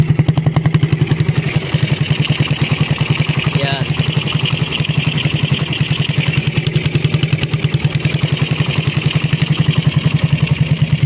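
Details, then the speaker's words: Raider 150 carb motorcycle after top overhaul (scored cam and cam holder repaired), kick-started on a weak battery: even single-cylinder idle thump, steady beat, no ticking or clatter from the head; quiet and healthy. "Yan yung kanyang andar. So tahimik na mga Diyas, nirepair natin yung kanyang sa head."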